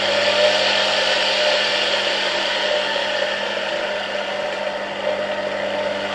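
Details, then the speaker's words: Polish RFSG vacuum cleaner (c. 1953-56) with a replacement 1961 SK-5 motor, run on a voltage regulator: smooth, steady motor whine easing down, slight bearing hiss; responds smoothly to regulator adjustments. Healthy normal motor run. "Okay, the engine is running pretty nice. You can hear the bearings a bit, but overall they work very well."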